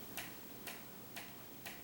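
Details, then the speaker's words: Wobbly ceiling fan in a bedroom ticking with sharp, crisp, evenly spaced clicks about twice a second, in time with each blade revolution; the noise occurs nightly, cause suspected but not confirmed. "no it's not a jackhammer somebody's doing outside somewhere on the street hear it that just drives me batty"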